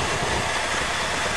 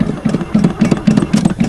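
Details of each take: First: Chevy V8 after cold winter start, idle after 7-8 months sitting, choke seems to stick a little: steady, even idle with smooth low burble, no knocks or misses; normal idle. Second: Chevy with carbureted four-barrel 305, sat about 7-8 months, frozen winter day, throttle pumped: starter chugs about four turns a second with a short pause, but nothing catches; cranks without firing, owner fears the gas was stolen.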